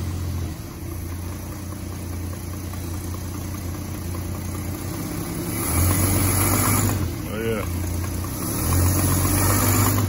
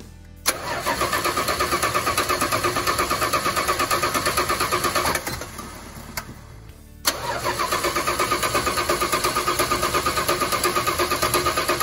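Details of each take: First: 1986 Dodge D150 Royal SE, 225ci six-cylinder, after a part on the new-old-stock carb was replaced with the old one. It idles evenly and picks up cleanly on two throttle blips with no stumble, so it runs normally. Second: 1986 Dodge D150 Royal SE, 225ci six, just-installed new-old-stock carburetor: two long even cranking bursts about three turns a second, never firing; no fuel because the new carburetor's needle and seat was stuck, fixed by fitting the old one.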